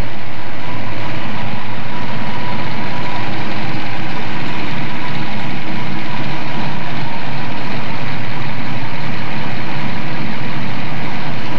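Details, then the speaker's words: 1970 Ford Mustang Boss 302 V8, hot-wired at the coil and cranked during restoration: deep steady rumble at even idle with no knocks or misses; normal running. "and you reach in the window here and crank it you'll remember these sounds this old engine"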